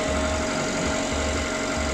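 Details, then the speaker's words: Ravon R2 / Chevrolet Spark M300 B12D2 (LL0) engine, 112,000 km, 5W-20 oil, first start after repair of abnormal engine noise, cold at 23 °C: smooth even idle, steady low hum, no knocking or ticking, runs quietly, normal idle. "смотрим как работает мотор мотор работает тихо"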